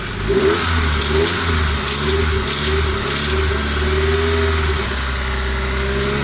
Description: New rebuild sr20det and at about 3k rpm start this noise, it come from the exhaust side, no vtc or westgate play.